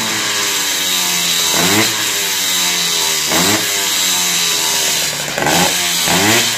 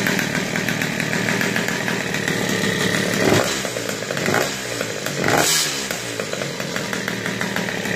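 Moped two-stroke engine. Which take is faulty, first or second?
second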